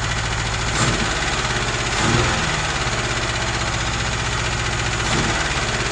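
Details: Rebuilt UZAM 2.0 engine on a 78 cam with twin Solex carburetors, first start without tuning: uneven, lumpy idle with a stumbling beat and surges. The jets turned out to be mismatched, leaving the mixture unbalanced.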